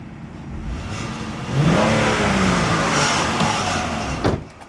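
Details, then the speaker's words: 2008 Honda Pilot after engine swap, 13.6-mile test drive: engine note rises smoothly pulling away and settles into steady cruise with road noise, no knocks, ticks or misfire; sounds good, though still smokes and threw check engine, VTM4 and VSA lights. "We drove it 13.6 miles. We went to AutoZone and back. I mean, the engine sounds good."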